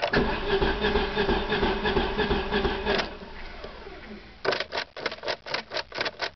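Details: 1994 Sundance: starter cranks the engine steadily for a few seconds, then in short bursts, never catching; crank no start.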